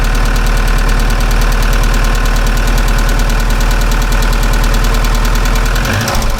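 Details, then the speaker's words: Opel C20XE engine before the hydraulic lifters are removed and cleaned: a fast, even ticking from the top end over a steady cold idle. Hydraulic lifter tapping on cold start, which usually fades after warm-up. "покажу вам как это будет сейчас покажу сначала как они стучат"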